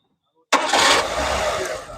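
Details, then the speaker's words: Maruti Suzuki Eeco 2022 (listed as 2021) petrol van idling after replacing the ECM plug and a burnt ignition coil; it had vibrated and shaken badly with hard starting, hunting and low pickup, and now idles steady, smooth and quiet. "तो friends गाड़ी जो थी बिल्कुल silent हो चुकी है, smooth हो चुकी है। पहले गाड़ी पूरी हिल रही थी, इंजन हिल रहा था, अब साइलेंट हो चुकी है गाड़ी।"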